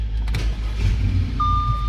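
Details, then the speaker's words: 2014 Audi A4 2.0 turbo restarted after repair and clearing the check engine light (P0171 lean): low, even idle rumble without stumbles or misses, single chime over it; idling fine. "yeah so before after a while uh the check engine light was coming on all the time so i just uh reset that with the scanner and it looks like it's idling fine"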